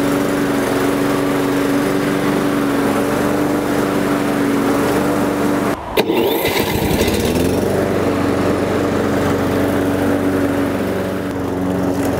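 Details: Toro Personal Pace self-propelled gas mower after removing a small piece of wood from the drive belt area: steady even engine hum, short dip midway, no squeal or chirp; running normally after fix.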